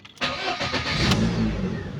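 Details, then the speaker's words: Lada Priora engine after piston set replacement to cure heavy knocking, coolant around 55°C: brief crank, catches and settles into even idle with no knocking; clean start, quiet compared with before. "Вот так работает мотор. Ну, по сравнению с тем, как он долбил, он просто дышит и шепчет."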